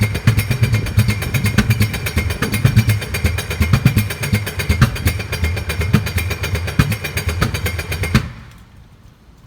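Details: 2005 Sea-Doo RXT after an engine rebuild (bearings, sprocket, chain): rapid uneven chugging with sharp pops while cranking, never runs; timing checked, spark, fuel and 160 psi compression in all cylinders, no codes; owner suspects backfiring.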